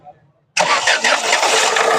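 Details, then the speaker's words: Ford Figo (2013-14 model) with misfire, low pickup and hard starting, after injector check/replacement in neutral: engine catches instantly on first try and runs steady with no stumble; now starts on one key turn instead of two or three; normal start. "अभी एक चाबी में start हो र पहले कहा था दो तीन चा स्टार्ट हो रही बंद हो रही"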